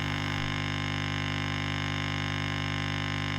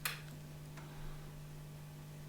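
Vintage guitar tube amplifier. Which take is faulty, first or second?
first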